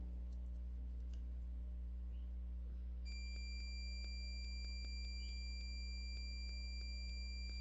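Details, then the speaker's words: Budget Chinese phone that won't charge or power on because of a shorted battery positive (VBAT) line: a multimeter in continuity mode gives a steady high beep on the right battery pin, confirming that pin is ground. "ahí está esto es definitivamente tierra y esto es como podemos ver está pitando"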